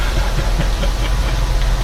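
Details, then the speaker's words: 1974 Johnson 25 hp outboard on electric start with a battery fresh off the charger; low uneven chugging a few times a second, turning sluggishly and never firing; slow cranking no start, battery suspected dead. "Of course, the battery's going to be dead. You're kidding me."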